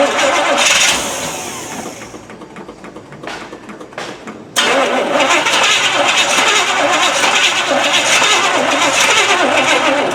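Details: 1979 Chevy K20 V8 after sitting all winter, carb primed and another battery hooked up: a few seconds of cranking, a pause, more cranking, then it catches and settles into a steady idle; hard start after storage.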